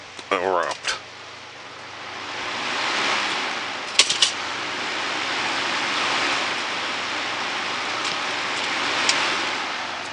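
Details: Cheap Galaxy box fan on final test run after switch repair: soft steady rush of air that gently swells and eases, no rattle, ticking or scrape; runs smoothly.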